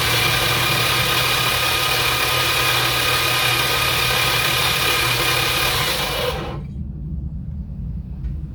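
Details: 1985 Dodge D150 with 408 Magnum, no spark plugs, oil added, starter jumped directly at the solenoid: rough, gravelly whirring crank near four beats a second, no firing; old starter sounds bad but spins engine; noisy starter motor.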